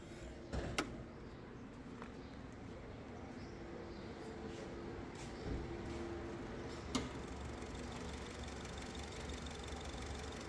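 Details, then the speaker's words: Honda BR-V petrol engine with 55,000 km idling unevenly with a lumpy, stumbling beat as one cylinder misfires from a dead ignition coil; jerks at 30–40 km/h and the scanner shows no error code. "हां ये ये ये हां मैं देख रहा हूं यह मिस फेयरिंग हो रही है"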